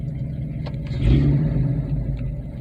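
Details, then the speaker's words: Car recorded from inside cabin after exhaust repair with V-band clamps and gutted catalytic converter: low even smooth rumble without ticks or puffs; normal healthy idle. "idle smooth sounds good i'll get a driving interior video it's going to be a little loud because i still don't have my headliner finished"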